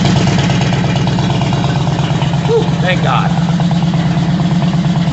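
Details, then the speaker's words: 2001 Harley-Davidson Road King V-twin warming up after 93 octane fuel and Berryman B12 additive: even, lumpy idle with a steady low pulse and no misses, pops or backfires; before the work it wouldn't idle and backfired. Normal idle. "engine sounds healthy like when I first they first brought it out I'll be honest thing wouldn't even Idol she ran like crap"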